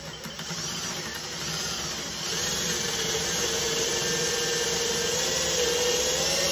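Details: Cordless drill boring through two stacked wood boards, started slowly, following a pilot hole through the first board, none in the second, recorded real time: steady whirring motor with even rough chatter, constant speed, normal healthy drilling.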